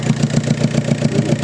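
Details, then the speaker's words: VW Passat B5 FL 1.9 TDI 130 hp, automatic, pump-injector diesel that starts very hard in the morning: lumpy idle with a regular heavy stumble about seven times a second; cylinder four misfiring, injector seals suspected. "Wypada zapłon na czwartym gaze. Pompowtryski bardzo ciężko rano pali. Trzeba goę kręcić, żeby odpalił."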